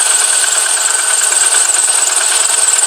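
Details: VW Golf 4 after engine rebuild (new pistons, bored to 0.5 oversize): light ticking knock about three per second at cold idle, lasting almost until fully warm then disappearing; oil changed to 5W-30 with no change, cause unconfirmed.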